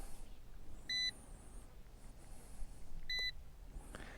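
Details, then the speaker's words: Ruko U11 Mini drone remote controller: two short high double-toned beeps about two seconds apart in a quiet room while it waits to connect to the drone; normal beeping, nothing wrong. "And now you'll hear the controller beeping while it waits to connect to the actual drone."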